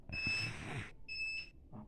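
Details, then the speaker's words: DVR emits a continuous, annoying shrill beep about once a second, unchanged after swapping hard drive and network; cause is a weak, failing power adapter that cannot start it properly. "سامعين السفاره سفاره مستمره مزعجه على طول ما بطلتش خالص"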